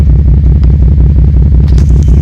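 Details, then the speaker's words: 2JZ Toyota Supra with Aristo swap, new pressure regulator at 42 psi and 12-volt fuel pump mod undone: heavy, uneven, stumbling idle with the exhaust shaking, light smoke and struggling to stay running; misfire ultimately caused by the main Supra ECU. "She's still misfiring, and I just do not know why. As you can see, there's a little bit of smoke going on. It's like it's sluggish. You can hear it's like struggling to stay on."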